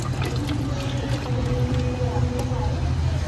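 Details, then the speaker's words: Haier no-frost inverter refrigerator, evaporator iced up from a blocked drain causing blower rubbing: after heating and poking the drain with hot water, steady low trickle with no gurgle; defrost drain now clear and flowing. "yan nagde-drain na. Pakasibo. Sige suot na yan oh. Tumagas."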